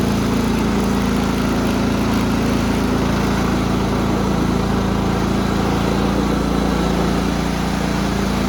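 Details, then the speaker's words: Repaired Cub Cadet riding mower, 16 hp horizontal-shaft Kohler, after deck adjustment, already mowed fine, parking brake on: steady, even drone with a constant low hum, no knocks or misses. Smooth, healthy. "i did some cutting over at my grandpa's with it and it did great so i'm gonna drive it around a little bit show y'all that it's uh ready to go"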